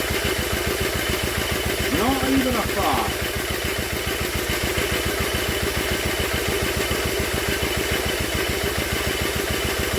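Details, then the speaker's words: Old Villiers engine on an Atom, cranking: steady even cranking rhythm with no firing at all. Strong spark, good compression and no fuel-system leak; the owner questions the timing and whether it is drawing petrol. "I think she's certainly got good compression and there's no leak on the fuel system that's a big bonus that is a huge bonus but why isn't she firing up"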